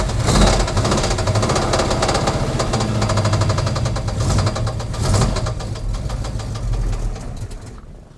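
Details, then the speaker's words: 1979 Chevrolet Camaro with an 010-block small-block Chevy, aluminum heads and an LS-style 4/7-swap cam: a heavy, fast hammering knock at about three per second over a rough idle until shutdown; the engine is badly knocking, cause unconfirmed. "I don't know how well you guys heard that but it's bad I mean it's knocking pretty dang hard here"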